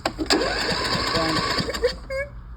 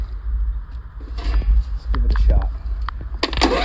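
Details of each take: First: John Deere D140 lawn tractor, parked running and unused about four years, new solenoid and spark plugs fitted: cranks with an even beat but never fires; no start from clogged fuel filter and dirty carburetor. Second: John Deere D140 lawn tractor, unused about four years, after old gas siphoned, new battery, solenoid, spark plugs and fuel filter and cleaned carburetor; a few clicks and cranking, then the small single fires and holds a steady even buzz; normal start and idle.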